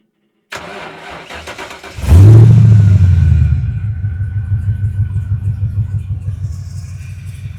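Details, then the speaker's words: XW Ford Falcon with 5-litre EFI V8, 3-inch straight-through exhaust: quick crank, loud catch and rev, then deep even burble settling to a steady idle; healthy start. "Oh yeah, listen to that. Beautiful. 5-litre EFI."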